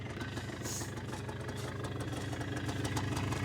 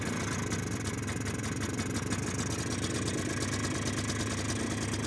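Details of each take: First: 2001 Polaris Xplorer 250 4x4 quad just started with starting fluid, airbox refitted: even, steady putter at idle with regular beat, no misses or rattles; normal idle. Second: 2001 Polaris Xplorer 250 4x4 two-stroke bought cheap: idles thin, ragged and smoky only while starting fluid lasts; carburetor to be pulled.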